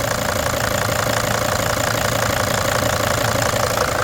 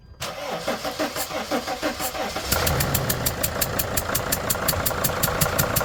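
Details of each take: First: Mercedes-engined five-cylinder Freightliner Sprinter van diesel, started after patching a leaking number four injector: steady, even clatter at idle about three beats a second, no hiss or puffing; running normally. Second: Freightliner van five-cylinder diesel, number four injector leaking, after retightening injector: cranks and catches, sharp regular ticking puff over idle from gas past injector seal; still leaking but less; owner suspects old washer.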